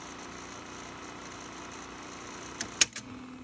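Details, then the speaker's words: Sony SL-6200 Betamax player, after fuse replacement restored tape threading: steady high whir of tape spinning in fast forward, then mechanism clunks as it stops; fast forward works though play still fails. "let's see if i press play okay so this still it will not work all right fast forward works"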